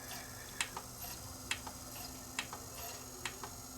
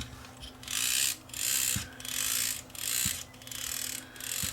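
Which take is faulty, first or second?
second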